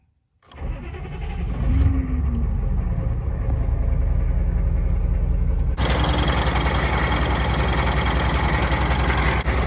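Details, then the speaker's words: Chevy 6.5 turbo diesel truck, crank pulley recently replaced: about a second of cranking before it catches, then a rough, uneven idle that smooths somewhat; hard starting, fuel system work needed. "It doesn't start the greatest. I need to do some fuel system work."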